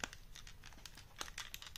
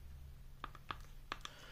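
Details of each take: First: Audio-Technica ATH-MSR7 over-ear headphones: dry plastic creaking and ticking as the cups flex at the hinges. Ordinary silicone grease doesn't fix it; the fix is thick damping PMS grease applied after removing the earpads and screws. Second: A flexed Audio-Technica ATH-MSR7 headphone cup gives only a few light plastic clicks and no creak over a low room hum, after being treated with thick damping grease; the other cup still creaks.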